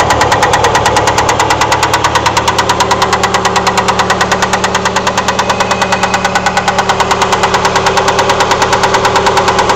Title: bad noise could it be a rod bearing?